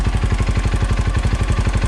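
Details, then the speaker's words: 2008 KTM 530 EXC-R dual sport after fitting a manual cam chain tensioner in place of the factory one; quick even thump of about eleven pulses a second with no clicking or chain clatter; normal idle. "ilent hardly doing any kind of vibrating no clicking clacking the tensioner's doing what it's supposed to do"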